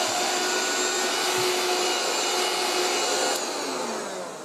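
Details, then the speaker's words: 1980s French Moulinex Aspirateur No1 237/320 handheld vacuum cleaner running on the floor: steady motor hum with smooth airy whir, no rattles or surging; very quiet, strong ozone smell noted; motor and fan running normally. "good I like how silent it is as well it's giving off quite a strong ozone smell though"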